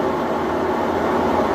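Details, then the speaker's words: 3-year-old Maytag washer (lid switch disabled for demo) up to spin speed after draining, large capacity: even, steady whir with no squeal, scrape or thumping; normal, smooth, stable spin cycle leaving clothes just damp. "This thing is a really large capacity, nice and smooth. No weird squeaks or squeals or anything like that, and it's nice and stable."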